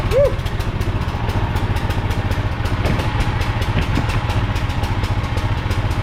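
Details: Briggs & Stratton 5,000-watt generator that sat unused in a field for a long time, hand-started after an ultrasonic carb cleaning with the pull start missing; first start smokes. The small single-cylinder engine catches, then settles into a steady, even patter with no knocking or grinding. Running normally.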